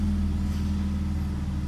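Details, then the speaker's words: BMW E46 M54 after torque converter repair, idling in neutral: smooth, even low hum with a steady beat, no knocks or rattles; the foreign noise is eliminated. "Как вы могли слышать звука постороннего нет Звук посторонний устранён найден устранён"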